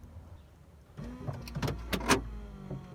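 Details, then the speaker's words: 1995 VW Golf Mk3, door lock harness shorted orange to green while fitting an eBay remote central locking kit; quick whirr and several sharp clunks across the doors as the actuators unlock normally. "Yes. So what I found is that orange and green unlock the car, while orange and grey lock the car."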